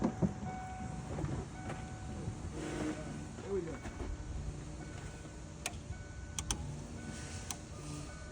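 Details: 1992 Ford Mustang GT Foxbody 5.0 revived from sitting, found with no oil and running on old fuel, at a rough first idle: a thin, high, intermittent squeal as the belt glides over a stiff pump, which the owner thinks may just be flattening the belt. Belt squeal.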